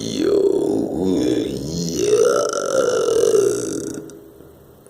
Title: barulho estranho na piá do meu banheiro 👽